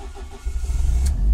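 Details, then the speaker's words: Ford ST170 with GSXR 750 ITBs and ME221 ECU, cold start after remapping cranking dwell and cold enrichment: brief cranking, catches within half a second and settles to an even, strong run; normal clean, quick cold start. "was a nice start that was a very nice start I can live with"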